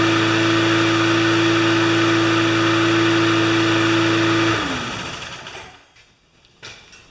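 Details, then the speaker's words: Spare mower, maybe 10 hours of use, unstarted since last year, run on fresh clean gas: steady even drone with constant pitch, no misses or knocks, then clean wind-down at shutoff; starts better than last fall, healthy running. "Well, you know, it starts better than it did last fall."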